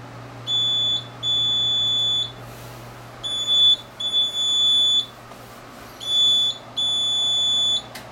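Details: Printer whose print head hisses like leaking gas on returning to the maintenance station, which was already replaced once before the hissing returned, followed by errors. Repeated high-pitched beeps in long and short runs over room hum: error alarm, cause unconfirmed.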